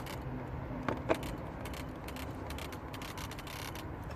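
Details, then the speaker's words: 2006 Renault Modus 1.5 dCi with intermittent no-start and no ECU communication: two sharp light clicks about a fifth of a second apart as the relay is pressed; faulty relay clicking, cured by replacing the relay. "Look, no more clicking, no more nothing."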